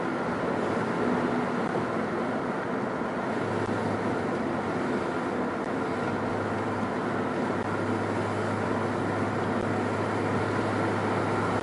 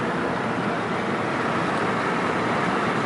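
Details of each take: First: 2004 Nissan Quest under way: cabin drone, then a metallic buzzing grinding rises when accelerating to about 2,000 rpm; per a Nissan bulletin, likely cracked front and rear exhaust support brackets. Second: 2004 Nissan Quest on a test drive at about 2500 rpm after fitting new exhaust brackets per TSB: steady cabin and road hum with no metallic buzzing. That buzzing was previously heard at about 2000 rpm.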